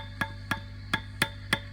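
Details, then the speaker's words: Old Fender Princeton Reverb with a squealing and feedback complaint, back off, tubes tapped lightly with a toothbrush; each tap comes through the speaker as a sharp ringing knock over the hum, even at volume zero, showing a microphonic preamp tube. "oh listen to that you can hear that coming through now listen to the difference when i turn the volume all the way down oh that's still coming through"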